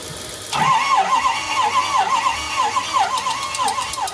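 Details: Engine cranks with a droning, uneven whir but never catches; oil present, no coolant visible, no pressure under the radiator cap. Sounds like weak compression, cause suspected, not confirmed.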